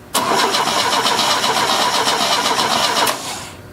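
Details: 1970 Opel GT barn find, unrun about 30 years, with gasoline poured in and the pedal pressed: starter cranks evenly, about four turns a second for three seconds, and never catches. Owner suspects the solenoid and a low battery.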